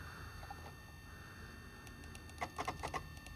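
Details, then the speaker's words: NeXT Cube magneto-optical drive, restored and working, disk mounted: quiet hum, then a quick burst of sharp seek clicks about four per second; normal access noise. "You can hear it clicking."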